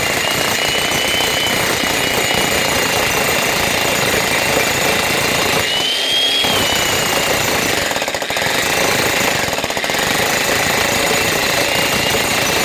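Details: Logan Tools (Titan-type) electric breaker after repair, relubricated with liquid grease following dropout from dry inside and worn O-rings: fast, even hammering with no stalls or skipped blows; normal hammering.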